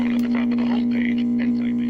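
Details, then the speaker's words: 1945 RCA Victor Model 56X3 series-filament tube radio, original and unrestored, brought up slowly on a variac to about 75 volts; a loud steady low hum with a faint station behind it, blamed on failed electrolytic filter capacitors. "so that's bad um the electrolytic capacitors uh but i can hear a station behind it so in a way that's kind of good news"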